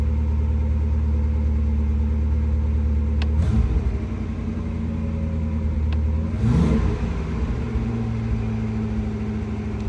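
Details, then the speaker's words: Porsche 928 on CIS injection, idling 1500–1800 rpm for months: steady idle, throttle blip, then revs hang high; badly adjusted cables holding the throttle open or the throttle sticking, classic high tick-over. "that kind of it shows me the idea of the cables are badly adjusted and they're holding the throttle open or the throttle is just sticking a bit around and this is the classic High tick over"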